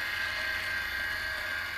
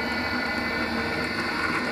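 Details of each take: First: Cavitation test rig pump with motor speed reduced: smooth, even hum with a steady mid-high tone, no crackling or rattle; cavitation gone, pump running normally. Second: Lab pump cavitation experiment, flow rate and velocity increased via valve: steady crackling hiss like gravel in the pipe, louder as flow rises; cavitation bubbles damage pump and turbine metal.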